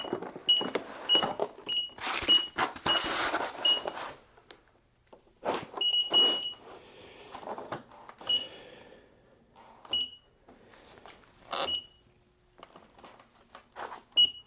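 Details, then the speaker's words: KingSong 16X electric unicycle just reconnected after motor firmware update 1.01 to 1.05: short high beeps among brief whirring motor bursts and quiet gaps; owner assumes it needs horizontal calibration, cause of beeping and whine unclear. "right we are reconnected and it's beeping at us I assume because it needs to horizontal calibration so I'm going to use that"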